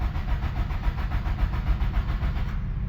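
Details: 1997 Nissan 200SX (B14) sat about 10 years, cranked after reseating battery terminals; even starter cranking at about three and a half beats a second, engine never catches; no fuel delivery from a dead pump.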